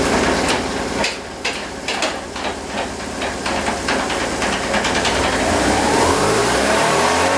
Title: 2004 BMW R1150RT w/ Bad Transmission Bearings